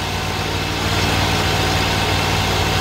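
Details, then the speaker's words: Great Dane Chariot zero-turn with Kohler Command Pro 25 (CV730) V-twin, after repair for cutting off: started with a little choke, even steady idle with a smooth low thrum and no stumbles; still running after about a minute. "The key is, will it stay running? I'll let it sit here a minute. I'll be right back with you. It's been about a minute. She's still running."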